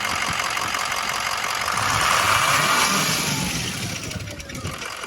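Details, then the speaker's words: Ford 6.0 Powerstroke turbo diesel: revs up, then on the rev down an uneven, lumpy beat like a dead hole with no compression in one cylinder. Owner has been fighting an issue with cylinder number 7; cause not confirmed. "You would rev it up, and then on the rev down, it almost sounded like a dead hole."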